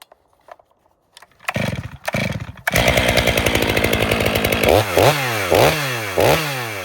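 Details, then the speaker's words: Stihl MS 500i with full-wrap bar, warmed up, making a test cut: revs dip and recover about every second, bogging rather than pulling through; the chain is dull. "That is dull. The guy who owns this saw is watching, you know who you are. You got to tell your guys to sharpen."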